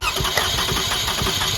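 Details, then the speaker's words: 2006 Toyota Highlander 3.3L, coolant leak, shop claimed head gasket: steady cranking during compression test, about five even pulses a second, never catches; readings about 200, good compression, head gasket doubted, water pump suspected. "so look these compression checks are impressive so anyway you want to slice it up that's good compression"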